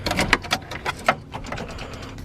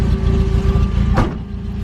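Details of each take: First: Freshly wrapped Toyota AE86 startup: uneven clatter, then catches around five seconds and settles into a strong, steady low run; runs smooth but still idles a little high, idle screw adjustment suggested. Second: Toyota AE86, already warm: rough idle with a steady high whine from the starter still spinning when the key is left on; key must be turned back slightly to disengage the starter.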